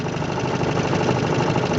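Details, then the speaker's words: 1958 Johnson CD-15 5.5 hp outboard, 8.84 cu in two-cylinder with pressure-tank fuel system and no fuel pump, rebuilt with new coils, carb kit, fuel lines and impeller: soft, even low putter ticking over at idle with no misses or knocks; normal idle. "they really idle beautifully you can hear this guy just ticking over here or barely even moving and it'll do this pretty much all day"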